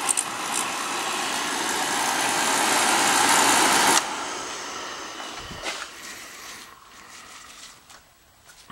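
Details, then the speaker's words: Beckett oil burner, 14,000 V electronic ignition transformer: loud steady crackling hiss over the burner motor hum for about four seconds, then cuts off; the transformer sparks strongly across the electrodes, normal ignition spark. "That transformer sends spark down those electrodes right there. Sends spark down the electrodes, you know, arc right across."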